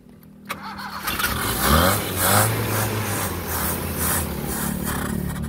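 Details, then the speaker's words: Carbureted small engine cranked repeatedly: rough, uneven starter churning for several seconds that never catches; crank no start, suspected flooded carburetor or out of gas. "naku ayaw lalo eh ha walang gas ano walang gas"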